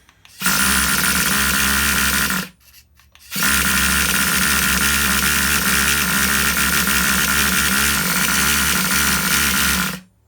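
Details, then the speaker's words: Vintage Traxxas Rustler nitro RC engine with new parts, electric starter on 3S: high starter whir spins it fast in two bursts but it never catches; owner suspects mixture too rich, plans to lean it. "Sounds like it wants to fire off, but it's not firing off. Definitely spinning over faster."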